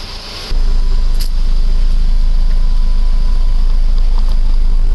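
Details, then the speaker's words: Rebuilt 1.9 engine after dropped valve seat repair, first run warming to operating temperature: low, steady idle around 850–900 rpm, even and smooth with no knocks or misses; some smoke expected. "I just want to let it get up to operating temperature let the fan kick on let everything break in you know before I go driving"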